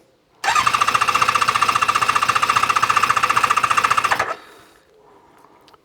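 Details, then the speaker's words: ZZR600 four-cylinder during restoration, after exhaust work, on a hot ~30°C day, ignition on with a little choke: quick, even starter cranking, about four strokes a second, with no firing yet. Carb fuel level is dropping as they fill, with no carburettor leaks. "So I can see the fuel level dropping. So it is going in. Just make sure I got no carburetor leaks, which we don't have."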